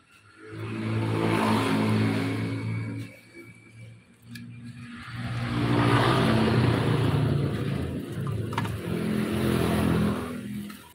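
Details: Honda Beat scooter revved twice: a coarse, gravelly rumble rising with engine speed; the connecting rod is still good, so the worn crankshaft bearing is the cause and will be replaced.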